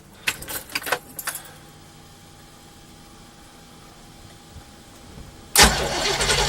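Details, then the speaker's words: 1989 Pace Arrow RV engine starting after an alternator replacement: a few light clicks, a pause, then a harsh, rough burst as it cranks and catches; owner dislikes the sound, cause unclear, while it charges at 13.9 V. "I don't like the way that sounds."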